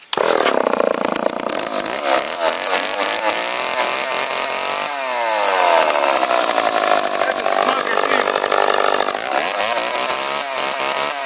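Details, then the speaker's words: 44 cc chainsaw, started on choke: loud, raspy two-stroke scream revving up and down smoothly without stumbling; sounds more powerful than the MS250 though not rated to be. "But even the sound of this sounds more powerful than the MS250 here, but I guess it's not rated to be."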